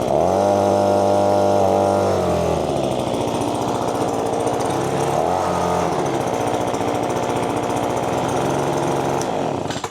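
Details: Echo PB-2520 two-stroke leaf blower, just started after freeing a jammed starter cord, a temporary fix that included the spark plug. It fires and settles into a steady, even buzz with a brief rev dip, running cleanly with no misfire.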